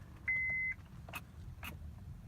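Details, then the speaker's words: 2003 Honda Accord V6 starter motor, key turned: dash chime then two sharp single clicks about half a second apart with no cranking; starts less and less often; failed starter motor, being replaced. "if you guys can hear that down there but basically I'm gonna go ahead and change the starter motor"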